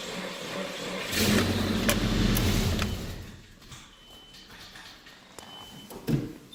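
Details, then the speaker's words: 1997 Nissan truck: starter drags the engine over sluggishly with a slow, labored, uneven churn, then quits; a spare battery made no difference, and the slow cranking turned out to be a bad starter. "Yeah, when you try to start it, it's turning over real slow."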